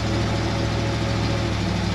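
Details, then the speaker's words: 1966 Ford F100 with a Ford 302 V8, AOD transmission from a 1993 Mustang, at steady idle: loping rumble with a raspy chuffing edge; exhaust leak, possibly near the manifold, suspected from mismatched exhaust port sizes. "and that exhaust leak is driving me insane that is the next thing we're fixing I cannot tolerate exhaust leaks that is awful"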